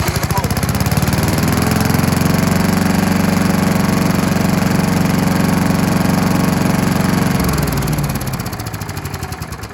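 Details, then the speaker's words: Scott Bonnar alloy-bodied mower, Briggs & Stratton Sprint 375 4-stroke, just refilled with fresh oil to the full mark, throttle about halfway: steady, even single-cylinder beat with no misses or knocks, then dying away; runs healthy. "So now that we've got the fresh oil in it, let's give it a start, because let's face it, who doesn't like to hear a mower run?"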